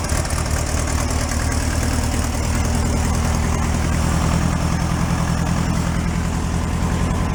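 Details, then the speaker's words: 1968 VW Beetle barn find, air-cooled, sat 5 years, old gas: steady even low chug, no misses or knocks, charge and oil lights out; normal idle. "Sounds nice. The charge light out and the oil light's out, so that's good."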